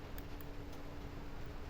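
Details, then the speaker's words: Modified HG680P OpenWRT set-top box with an added 4 cm DC cooling fan wired to the power switch, just switched on: quiet, even hum at one steady pitch with no ticking or wobble; the fan runs normally. "di sini nyala dan kipasnya hidup ya bisa dilihat bisa didengarkan juga ya masih hidup"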